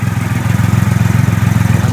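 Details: 2008 Triumph Rocket III triple idling after the starter relay mod bypassing the OEM relay, restarted to compare starter revs: steady even pulse about fifteen a second, no misses or knocks, healthy.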